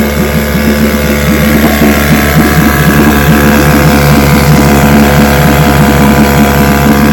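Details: Vintage restored-then-repaired outboard, Monday start test after the fuel valve was opened with the engine already primed; steady, even buzzing run with no stumbling, surging or knocking; 5-minute run completed; running correctly.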